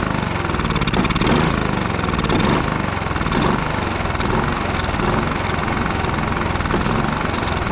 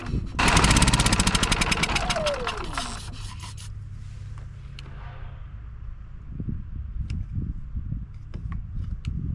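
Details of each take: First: Westinghouse iGen4500DF inverter generator that would not run after almost a year in storage, now on fresh fuel with Seafoam added: the small single-cylinder engine runs fast and steady with an even buzzing beat, no misses or surging; normal running. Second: Westinghouse iGen4500DF inverter generator, stored almost a year, started on starting fluid sprayed into the air intake. Loud cranking catches, then an uneven, stumbling run with irregular pulses and no steady beat. Rough running; owner suspects old fuel.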